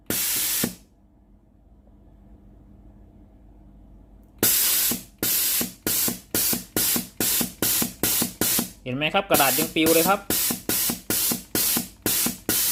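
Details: Philips GC9622 steam iron, solenoid water valve tested via a connected pipe: strong rhythmic hissing steam bursts, about two a second, sharp and full; steam exceeds the pipe length, valve normal.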